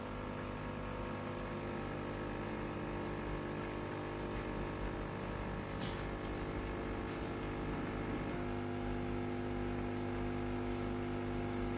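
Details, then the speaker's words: Philips PSG7014 steam iron (no steam output) after reassembly while the electro-valve is being replaced: steady low buzzing hum that shifts pitch near eight seconds as the boiler fills; the water pump is working normally. "ทำการเปิดเครื่องลองเครื่องอีกรอบนึงครับได้ยินเสียงปั๊มน้ำทำงานแล้วนะ"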